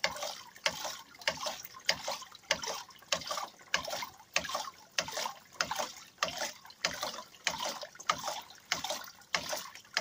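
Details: Douglas hydraulic ram pump (bélier), first start after restoration: steady watery clack-and-surge about every 0.6 s, even rhythm with trickling between beats; normal cycling.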